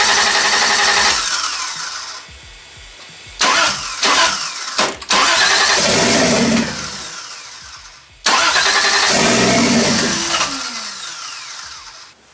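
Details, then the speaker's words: 1JZ-swapped widebody Toyota Supra after fitting a replacement starter: the starter whirs, the engine catches and flares briefly, then sags and dies each time. It starts but will not idle; more work needed. "so you heard it start again yeah it doesn't want to run like Idol at all so I've got some more tinkering to do"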